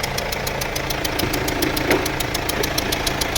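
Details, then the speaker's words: Mercedes-Benz W212 E220, OM651 four-cylinder diesel, loud abnormal noise at startup with engine light on: sharp, even ticking about three per second over a rough idle. Injectors believed leaking, badly damaged, fire risk. "เครื่อง651ดีเซลนะครับ4สูบดูโอหดูดิแข็งเลยครับเนี่ยตอนเคือหัวฉีดมันน่าจะรั่วครับ"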